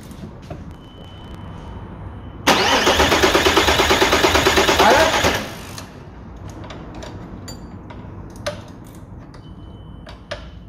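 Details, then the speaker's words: 1998 Audi A4 2.5 TDI (AFB) diesel, injector lines loosened to bleed: starter spins briskly about three seconds with even chatter, never fires; crank no start, later traced to a broken pipe to the injection pump. "hemos encontrado un tubito roto vale que sería este de aquí que llega hasta la bomba"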